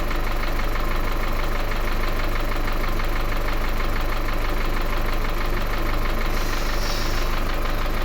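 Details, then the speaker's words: Engine with hydraulic lifter knocking, loud when cold, after cleaning, not fully warm (about 30–40°C), idling: light, even top-end tap three to four times a second remains; one lifter likely needs replacing. "Значит, какой-то стук ещё остался небольшой. Ну, походу, какой-то один надо будет менять."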